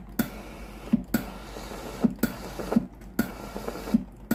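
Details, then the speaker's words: Philips GC9682/80 steam iron, ready but soleplate heater cold: pump pulses in short regular bursts under a second apart with no steam hiss, water dripping from the soleplate; faulty relay (ALDP124). "ที่ออกมาที่ฮีเตอร์หน้าเตานะครับตัวนี้เป็นหยดน้ำนะครับ"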